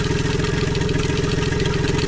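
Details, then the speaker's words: Tohatsu MFS 40A jet outboard running at about 45 PSI fuel pressure, hot day, fuel screen half full: steady idle with fast pulsing chatter and thin whine; the recently replaced low-pressure fuel pump is making a noise. "That is the low pressure pump right there, and it's making a noise"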